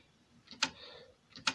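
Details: Toshiba PC-G10 cassette deck: load/unload mechanism works but main flywheel not spinning off same motor; two sharp clicks under a second apart with flywheel still; worn capstan belt slipping.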